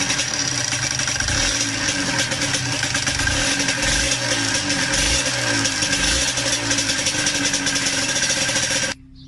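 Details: Yamaha DTR125 two-stroke, fitted with a new piston three days earlier, carb flooding out the overflow pipe: buzzy note with a light metallic rattle on every rev. Valve clipping or slack was suspected; found to be piston slap.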